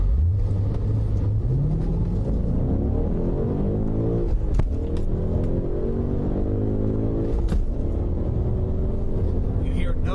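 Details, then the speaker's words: BMW E39 M5 upshift with the clutch fully engaged before adding throttle: engine note shows an instant pitch change then holds steady, no flare or hang in revs; healthy clutch engagement without slipping. "this can be done very quickly but we want the clutch fully engaged before sending it all the power of the engine what you should hear is what this is going to sound like an instant pitch change from the"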